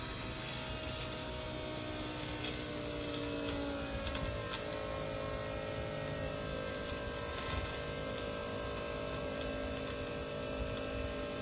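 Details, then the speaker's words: Turbo LS 1955 Buick fuel system, with both electric fuel pumps running after the 044 pump was switched on: a steady hum and whir, and the 044's note drags down as it starts pushing fuel. It appears to be working, with no leaks seen. "running where hear that 044 drag right down when it starts pushing fuel I think it's working"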